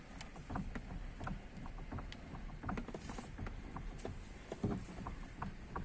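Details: Honda City with electric power steering, 137,000 km, engine off: irregular light clunks and creaks as the steering wheel is rocked back and forth; knock somewhere in the steering, cause unconfirmed.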